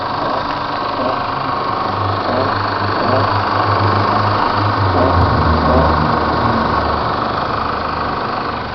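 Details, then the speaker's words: Chevrolet S10 LT 2.8 diesel, warm engine only (not when cold), light quick throttle taps, also sometimes at idle: brief rise with loose irregular rattle over the drone; GM mechanic says valve opening on throttle is normal, source unidentified. "Eu piso e não faz esses barulhos, mas é quando o motor tá quente."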